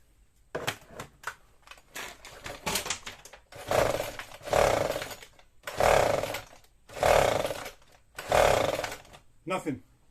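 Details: Husqvarna 122HD45 two-stroke hedge trimmer with new carburetor, fuel lines, filter and plug, 130 psi compression, spark and starter fluid: about six rasping pulls, no firing or catch; cranks but won't start, flywheel keyway/timing next suspect.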